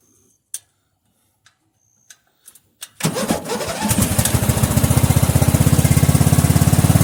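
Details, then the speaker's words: Mower "Filthy" cold start after about two months unstarted, oil unchecked, kill wire still unfixed: a few clicks, catches after a short crank and settles into a steady, even putter with no misses; runs fine. "It ain't been started in quite a while. Last time it's been running was on a Mower Monday."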